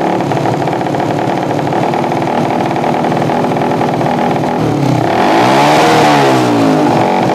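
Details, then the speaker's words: Yamaha Jupiter MX single with open pipe runs uneven, sputters and pops instead of pulling on throttle; suspected carburetor setting giving too little or too much fuel, otherwise ignition fault, not confirmed. "Oke, Mas Bro. Intinya motor ini mbet brebet brebet begitu. Oke, berarti rumusnya adalah brebet. Merebet adalah kekurangan BBM atau kelebihan BBM."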